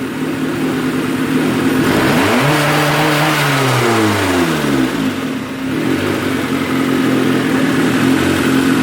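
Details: Turbo Honda Civic build with coil-on-plug setup, after sorting ignition/plug wire placement suspected of causing issues: engine settles at idle, then a smooth blip rises and falls back without stumbling or popping; revs cleanly now.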